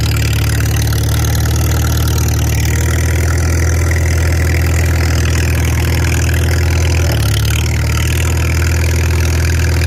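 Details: Farmall 300 Row Crop, 600-hour tractor, test drive after exhaust manifold replacement (original rusted through) and clutch adjustment, camera on chest rig; deep steady low rumble under load, even beat, no knocks or slipping noises; running healthy.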